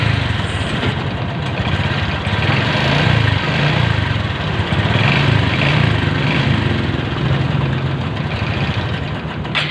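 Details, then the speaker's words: Honda XRM 125 Fi single-cylinder engine idling with a loud metallic clatter and knock, from a slack timing chain on worn chain guides, before repair. "Ayan napakinggan na natin yung andar ng kanyang motor. Napakahinga-inga talaga. Makalansing at malagutok."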